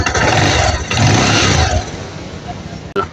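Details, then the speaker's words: Kawasaki Rouser 180 motorcycle that would not start, after basic troubleshooting with spark plug caps refitted; single-cylinder fires up with a quick, fairly even putter then settles lower, now starting and running normally. "Yan, so umandar na siya mga idol, no?"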